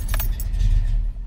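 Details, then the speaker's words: 1991 Foxbody Mustang GT, first start after a Holley Terminator X fuel injection install: keys jingle, then the engine catches into a low, slightly uneven rumble; it runs, but the idle still needs to settle. "it's alive yeah baby we'll have to settle in the title a little"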